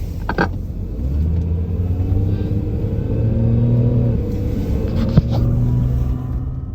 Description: Similar noise to angle grinder, can be louder than exhaust and noticeable outside as well as in!